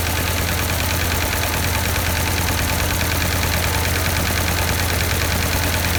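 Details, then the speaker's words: 1952 Ford 8N tractor, not run for a few years: lumpy, lopsided idle stumbling about once a second. Number four cylinder has no compression with an oily plug and a stuck exhaust valve, after a plug change and carburetor were suspected. "well we just took a compression check of number four cylinder here and no compression at all and the plug was oily a little bit"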